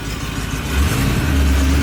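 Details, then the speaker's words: 1989 Ford Bronco after new 2AWG battery cables, engine smelly: steady low rumble holding an even idle with no stumble or hunting; runs smooth, then warmed up and responsive. "Just let her idle, see if she'll idle. She's kind of idling, dude."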